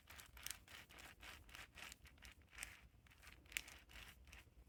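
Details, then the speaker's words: Redcat Gen8 RC crawler transmission after upgrade to steel gears, turned by hand: gritty rough crunch pulsing about four times a second per rotation. "We're going to take this apart and we're going to check it one more time. I don't like the way that's sounding and I don't know what's up with it."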